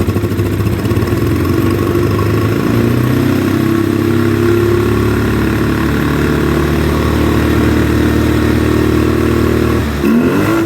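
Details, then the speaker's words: 2009 Polaris Sportsman 800 ATV, sat about 6 months, not running from a dead fuel pump; after repair, with injector cleaner in, it pulls strongly and evenly from mid-range to wide open throttle despite a lumpy idle and weak mid-range; suspected gummed injectors and bad plugs. "from mid-range up to wide open throttle it runs great as you heard it was revving up really good"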